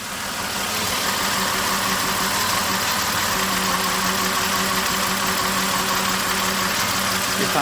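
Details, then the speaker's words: 1997 Toyota 4Runner, 5VZ-FE V6, 270,000 miles, code P0304: rough idle with an uneven stumble about three times a second and the engine shaking; a steady misfire on cylinder 4, cause not yet found. "so I have started it up hopefully you can hear the hesitation it's only for one cylinder there's even audible hesitation in that RPM when it idles p03 04 Miss fire number four you will probably hear it better"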